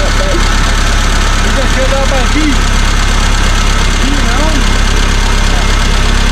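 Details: 1975 Chevy Vega started after sitting for years, running on a makeshift external gas tank: a loud, uneven low rumble with an irregular lope and no steady beat. Rough idle.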